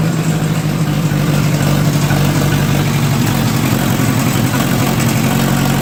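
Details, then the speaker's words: Oliver 550 gasoline parts tractor bought at auction, first start after it would not start there: loud, uneven, choppy idle with raspy puffing; carburetor needs adjusting and the exhaust leaks everywhere. "well that was a great success it started uh the carburetor needs obviously some monkey in withd it runs kind of choppy and the exhaust is leaking all over the place"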